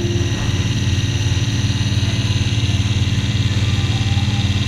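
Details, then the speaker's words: Engine on a dyno heard through a knockbox sensor on the block (short block channel): steady rapid rhythmic thumping about three pulses a second, even and regular; normal piston rock at top and bottom dead center. "Probably hear that. That's just the pistons moving up and down. Going over at top dead center, rocking at bottom dead center again."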